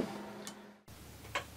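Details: 1934 Ingraham Bedford time-only wall clock, movement cleaned and reassembled, test run in its case. Crisp single ticks about two a second against a quiet room; the movement is running healthy.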